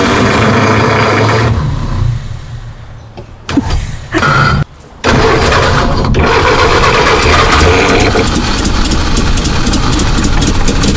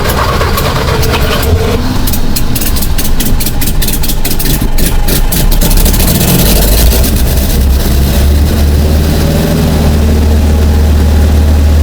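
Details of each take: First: Rare 1951 Henry J survivor: slow, uneven cranking at about three beats a second that stumbles and cuts out before catching; a hard start, likely fuel starvation. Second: 1951 Henry J, running from a temporary fuel cell, fourth start attempt: cranks, catches and settles into a steady, even idle with a low rumble; normal engine start and idle.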